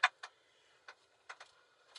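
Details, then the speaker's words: Daihatsu Hijet, about 17,868 on the odometer, on a test drive: short, dry creaks at irregular moments, up to about three a second, from the bushing around the steering shaft. "It's funny, you hear that little creaking? That is a Daihatsu-ism. It is the bushing that goes around the steering shaft."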